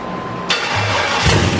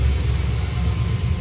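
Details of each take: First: Freshly built V8 on first start with a reprogrammed stock ECU/PCM: wrong intake manifold (square port instead of cathedral port) caused a severe vacuum leak, so it surges to a high climbing rev and hangs there instead of idling. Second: Corvette V8 warm idle after about 10 minutes running, about 1050–1100 rpm, temp just under 200, oil pressure 60, charging 14.06 V: steady even low rumble, no smoke, ticks or knocks; wobbling pulley needs replacing.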